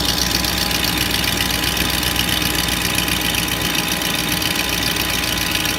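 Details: 2004 Range Rover HSE, BMW M62TU 4.4 V8, after a full timing chain, guide and tensioner job and Beisan VANOS seal kit, codes P0011 and P0012: an uneven, lumpy idle under a hissy top end. The idle is rough; the cause is suspected, not confirmed.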